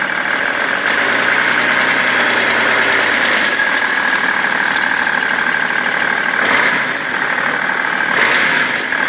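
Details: BMW 330d E91 diesel at idle after main and EGR thermostat replacement, also smoking: uneven knock over the clatter, about four a second, not cleanly spaced; source of knock unclear.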